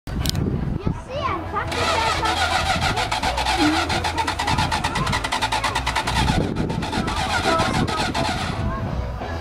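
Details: Plymouth Fury III hard to start at a car show: about seven seconds of steady starter cranking without catching; needed carb work and starting fluid, owner suspects fuel and ignition system need overhaul.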